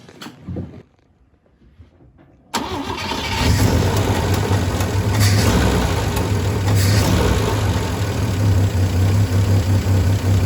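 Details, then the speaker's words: Volvo 164 B30 engine, started after sitting since 1994, cleaned and oil changed, no choke, water pump not connected. Brief crank, catches at once, steady even idle with no knocking; healthy. "and it didn't have a knocky sound either no she sounds fine she sounds really healthy"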